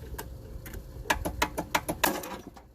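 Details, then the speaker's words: Craftsman LT1000 lawn tractor being built as a mud mower: turning the key gives a quiet run of sharp separate starter solenoid clicks with no cranking, happening intermittently; owner suspects a bad ground and may unbolt and clean it. "and then the solenoid it kind of sometimes walks i might be able to show it to you here now but um see i'm turning the key"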